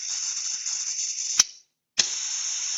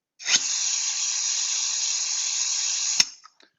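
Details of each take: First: Vacuum cup actuator venturi: steady high airy hiss, a sharp pop and a half-second of silence, then the hiss returns. The adjustment knob was turned counterclockwise until it seated, then directional control valve DCV5 was actuated. Air still bleeds through despite airflow shut off. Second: Venturi vacuum cup actuator, suction activated by manual override of directional control valve number five. Steady, even, high-pitched air hiss with no flutter or pitch change: the normal sound of a properly adjusted vacuum generator.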